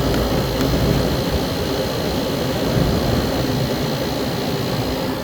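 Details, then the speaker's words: 1998 Whirlpool 10,000 BTU window air conditioner, compressor drawing about 10.2 amps: steady, even hum and fan rush with no knocks, rattles or squeals; compressor and fan sound healthy. "It sounds really good. Just listen to it for a second."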